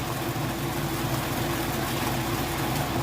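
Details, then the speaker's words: Whirlpool top-load washer in final high spin cycle: even steady hum with no thumping, rattling, knocking or bearing noise; drum spinning fast and smooth, healthy. "can see it's got a nice smooth operation it sounds great not jumping around or knocking around or any weird noises or bearing noises all things you'd listen for and look for"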